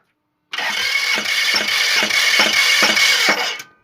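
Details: Toyota 2AZ-FE petrol engine just started: sharp regular knock nearly three a second above a hissy run; source only found after removing the engine.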